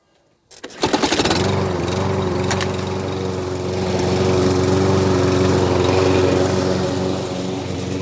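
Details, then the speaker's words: Scrap-pile lawn mower with a small engine. It catches on the first pull and settles into an even, steady beat with no misses or knocks. Normal smooth running. "i said the engine ran really smoothly absolutely brilliant um i think i'm gonna keep this one for myself"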